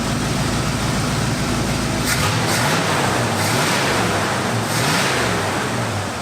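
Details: 1972 Cutlass after 33 years in storage, idling: a steady, even idle with a constant low note and no stumbling or misfire. It sounds much smoother now; initial timing is about 13 degrees, and the idle is very steady.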